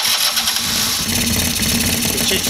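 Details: Two-stroke scooter with a 50cc-to-70cc big bore kit, first start and restart, about 40 degrees out, with the oil line still hooked up: buzzy, crisp, fires right up and settles into a steady, fairly quiet idle; healthy.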